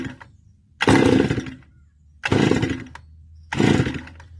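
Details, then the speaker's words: Hot Stihl FS280 brush cutter, which also shuts off when cold: three pull attempts each give a short rough burst that dies, and it will not start at all once the engine is hot. "now it will not start at all so this is a problem you might encounter during owning and operating distilled FS brush cutter"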